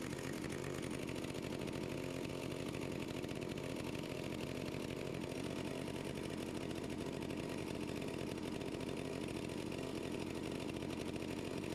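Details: Stihl 041AV anti-vibration chainsaw, 28 in bar, sat at least 5 years, cold start at about 37-38°F after stop switch cleaning, choke off. Steady, even buzz at constant pitch with no misses or surging. Normal idle.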